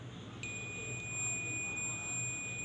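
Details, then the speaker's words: Transistor amplifier with one channel sounding distorted, multimeter in continuity mode on a resistor in that channel: a steady, unbroken high beep holds, showing continuity, so this resistor tests good. "देखिए दोस्तों, हमारी एक resistance okay है। उसके बाद हम दूसरी resistance भी चेक करेंगे।"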